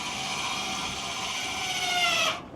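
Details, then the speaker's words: 2025 Forest River Salem 22RBS travel trailer electric stabilizer jacks lowering in tandem: high whirring whine drops slightly in pitch as the jack contacts the ground and bears load, then cuts off; normal. "You hear that whine? That means it's made contact. It's got a good load bearing on it."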